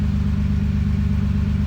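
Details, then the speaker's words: 2JZ-powered Toyota Altezza, first start with new Comp 6767 turbo: steady idle with fast, even puffing over a deep drone; loud puffing, suspected fat exhaust leak. "it just sounds like a fat exhaust leak really it's all it is yeah you"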